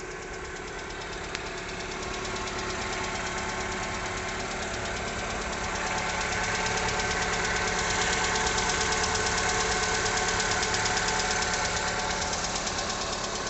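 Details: 2020 Lada Largus, engine 21129, 3,300 km, morning cold start at idle: a sharp, regular knock near three per second, intermittent hot or cold; caused by a factory-defective cylinder head, replaced under warranty.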